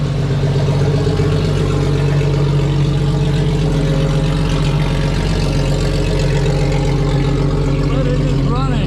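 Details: 1995 right-hand-drive Jeep Cherokee, first run of a used XJ engine never heard running before, after a throttle body swap, restored fuel pressure, a new distributor and timing adjustment: a steady, even low rumble with no misfire or knock.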